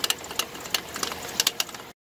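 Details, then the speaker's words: Dodge Dakota engine warming at idle after oil pump and bearing work: light sharp ticks in uneven clusters over faint engine hum, somewhere on the belt drive, becoming less frequent; stethoscope found no source, owner suspects the water pump. "I'm not sure if you can hear that nasty clicking the rattling but I went around with a stethoscope and I can't really find it but I know it's somewhere on on this belt"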